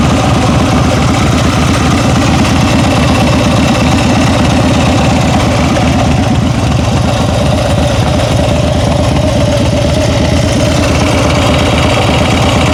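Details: Steady idle with a fast, light ticking about three per second over the engine note; owner thinks it comes from the rear cylinder, cause not pinned down.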